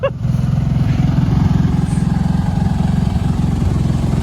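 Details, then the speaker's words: Kawasaki Brute Force 750 V-twin ATV, restored neglected unit, just fitted with new exhaust and fresh 10W40 oil change; steady even idle about three to four beats a second, much quieter, no rattle; owner still suspects carb needs cleaning. "I still think it's in need of a carb clean."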